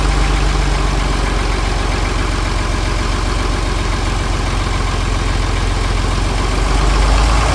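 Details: John Deere 4020 Hi-Crop Powershift diesel, first run after long storage with fresh fuel and batteries, jump-started using ether: a steady, even knock of about four beats a second stuck at one speed with no throttle response. Injectors or injection pump suspected.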